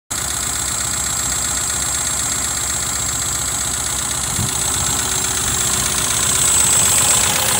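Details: 2.0L Pinto engine fitted in a Cortina, down on power, at idle: uneven rough running with a thin steady high-pitched whine over it; cause unknown.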